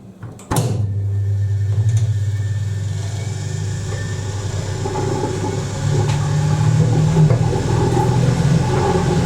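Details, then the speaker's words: 1980s Ariston by Colston Electronic 3000 spin dryer, rated 3000 rpm with 6 lb drum, spinning with lid down after rinse; click, little jiggle, then smooth low drone building as drum speeds up, no rubbing: normal high-speed spin. "I'm going to put that on with the lid down so you can hear how much more quieter it is. Watch this little jiggle it does as well when it kicks into spin."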